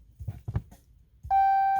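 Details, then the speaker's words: 2020 Hellcat Redeye widebody with 300 miles, stuck in park with a service transmission and auto park disabled message: a few handling thumps, then a steady mid-pitched chime as the push-button start fails. Cause not confirmed. "but when i try to start it nothing happens press break and push it again auto park disabled press break and push button to start nothing's happening"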